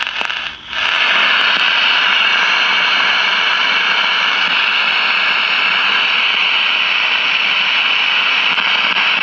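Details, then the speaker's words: 1956 CBS 5-tube AM clock radio after replacing the 12AV6 detector tube: constant harsh hiss with sharp crackles, no station; arcing mica capacitor visible in bottom of IF can, confirmed by grounding its output to the detector. "I see arcing in the bottom of the if can see that there"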